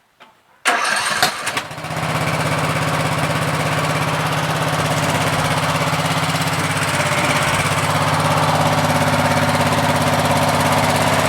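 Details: Troy-Bilt 17.5 hp 42" 8-speed lawn tractor, restart test after trying gas in the carburetor: short crank, quick catch, then a smooth, even idle for ten seconds without misses; normal start and idle.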